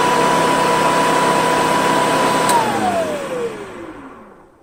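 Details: 1995 Hoover Commercial C1125 vacuum after cleaning, rust removal and reassembly, before new brush roll: smooth steady whine holding one pitch, then falling evenly as switched off and coasting down; very quiet, healthy motor.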